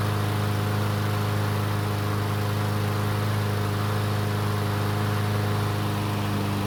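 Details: Troy-Bilt single-cylinder mower that wouldn't start after winter storage, test start after repair: runs steady and even with no stumbles or misses; sounds healthy, though it began burning some oil after about 20 seconds.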